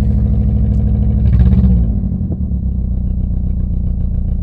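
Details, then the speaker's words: Four-cylinder car left standing on a yard: lumpy, uneven idle with a stumbling beat and brief rev blip; misfire from worn-out spark plugs, compression said to be fine. "ob alle vier zylinder irgendwann mal laufen die zündkerzen sind nämlich am ende"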